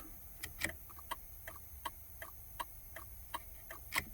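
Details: 2000 Ford F-150 before repair, with the turn signals dead but the hazards working: crisp, evenly spaced tick-tock clicks, about eleven in four seconds, as the hazard flasher cycles normally.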